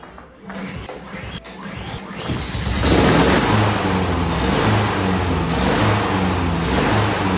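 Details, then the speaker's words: New 2020 Honda HRN216 mower, GCV170 engine: starts then hunts up and down about once a second, surging rough idle from clogged carburetor pilot jet; fix is cleaning the carburetor. "Is it having problems idling and running or surging like this?"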